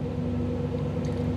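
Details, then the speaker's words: 1985 Camaro IROC-Z TPI, new engine build, with Actron CP9690 OBD-I scan tool plugged in: fast idle with a slightly ragged exhaust beat; idle speed and timing raised while the tool streams data, causing random misfires in neutral, calms when unplugged. "and I couldn't get the idle down it kept running fast like this and if you go back and listen to the exhaust uh the the timing is also increased and the timing is high enough that you start getting some uh random misfire in neutral"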